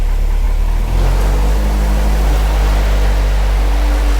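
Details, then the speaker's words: Project Crewman first run, idle measured at 550 rpm (too low, to be raised to about 750), transmission fluid low, coolant temp around 192: deep steady booming drone as the exhaust dump pipe resonates at the low idle. "Okay, there's reverberations back there coming from my pipe that's dumping the exhaust out."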